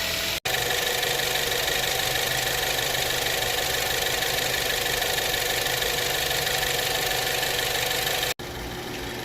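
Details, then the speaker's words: Engine after replacing the alternator and the battery for a not-charging fault. It starts without a jump and idles steadily and smoothly with a light hiss, no knocks or misses. Normal idle. "all right so I start right up without a jump no problem"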